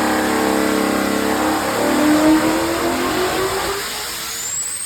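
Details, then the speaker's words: Land speed record engine build: high revs wind down at throttle lift with a rising whoosh and bang, boost trapped because the electronic compressor-side gate opens with latency after the throttle is chopped. "So what what so what you're hearing there in that the end of the pull is it has a e-gate on the compressor side instead of a conventional vacuum operated one. So it has a little bit of a latency. So the throttle is chopped the boost and the gate is not open yet."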